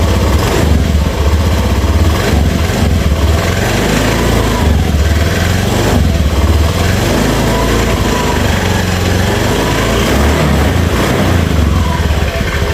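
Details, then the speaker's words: Honda Beat FI scooter, rough again a month after full engine rebuild: normal at idle, but at quarter throttle the engine revs unevenly with a raspy scrape; suspected to come from the CVT, possibly the piston. "Dia normal di gas seperempat ya sedikit Itu dia ada suara ngerik seperti di CVT bisa juga di bagian piston ya"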